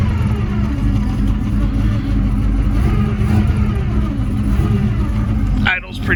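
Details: Foxbody Mustang with a 331 stroker V8 (Comp cam, T5 manual) after installation, warm, exhaust connected, 40–50 psi oil pressure; deep even burble at a steady idle, no ticks, knocks or stumbles.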